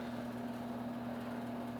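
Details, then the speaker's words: 2022 Toyota Highlander AWD rear electronic parking brake actuators reactivating via MUCAR scan tool after rear pad replacement in service mode; quiet, steady, even-pitched motor hum as the brakes apply normally. "So we hit the replace brake pad and operations, hit OK, hit OK, hit OK. Now you can hear it doing its thing."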